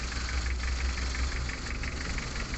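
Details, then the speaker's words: Mitsubishi L300 diesel with rough, vibrating, weak running: cylinder cut-out test, cylinder 3 injector line loosened, idle gets rougher with heavy uneven thump, so cylinder 3 is normal. "bisa kita lihat ini juga bertambah parah berarti nomor tiga ini normal"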